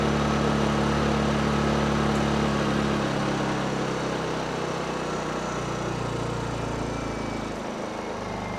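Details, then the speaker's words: Honda EU2000i generator after carburetor cleaning, choke off; smooth, even engine note holding steady with no hunting or stalling; normal idle, fault fixed. "How can you tell it's working? Because the choke is off and it's still running."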